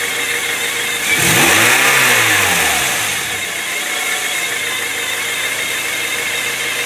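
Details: 1997 Honda Prelude SH idling with a thin, steady high whine from the transmission over the engine, briefly blipped; owner says it differs from a previous bad throwout bearing, cause unknown.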